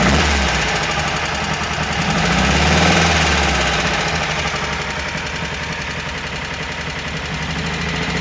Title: VW Squareback engine knock.